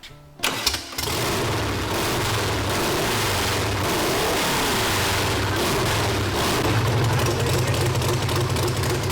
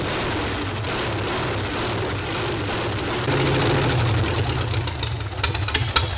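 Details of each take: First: Volkswagen sand rail engine after the firing order was corrected to 1-4-3-2. It catches quickly and settles into a steady, even beat with no misfires, running properly; oil leaks remain to be fixed. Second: Volkswagen engine in a revived sand rail buggy. It runs loud, uneven and lumpy, stumbling on throttle blips, because the firing order is wrong, so one side of the motor is not running; a carburetor jet is also loose.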